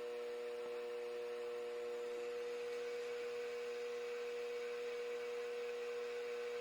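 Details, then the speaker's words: Mini mill after belt drive kit upgrade, running in low gear (up to about 1100 rpm): faint steady hum, clean tone near 500 Hz, no gear grinding, clunking or clacking, and no metal-on-metal lever rubbing; normal quiet running. "I can barely hear it. We're in low gear right now. That is so much quieter. No more of that gear grinding, clunking, clacking."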